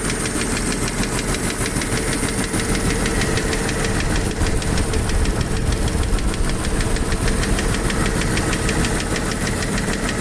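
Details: Jeep YJ 4.0 idling: a light, fast, fairly steady ticking rides over the low rumble. Owner doubts it is a lifter; source not identified.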